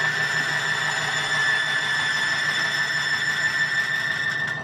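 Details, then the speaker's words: Petron Plus friction test rig at 20 lb pressure and about 8 A: a steady high-pitched squeal near 2 kHz over motor hum as metal rubs under load, before the additive reduces friction and quiets it. "the eating of the metal when we start squealing bring it down to a squeal and in a minute you'll hear that noise"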